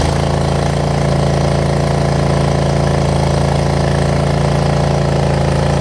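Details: Troy Bilt Mustang 50-inch zero turn after reattaching the muffler, slow to start cold but starting within 10 seconds: steady, even low thrum with no misses, knocks or rattles; normal idle.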